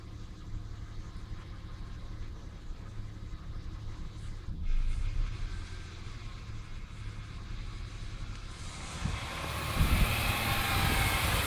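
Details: 1996 Ford Falcon EF 4.0L inline six: idle stumbling, beats dropping out and revs sagging in P, N or D; smooth under load, compression in spec, no vacuum leaks. Idle misfire.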